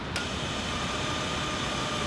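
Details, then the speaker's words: Classic Porsche 911 under restoration, no engine fitted: as soon as the battery is connected, a click then a constant high-pitched electrical buzz, suspected fan control; source to be traced by pulling fuses. "I'm not sure if you can hear that, but there sounds like a fan control or something is making an awful noise."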